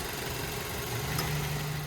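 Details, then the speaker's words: 2009 Mazda 3i idling in very cold weather, heard in the engine compartment: steady, even idle hum with a smooth low drone, no knocks, ticks or squeals; smooth-running engine, no odd noises, normal idle. "As you can tell, smooth running engine, no odd noises or anything like that."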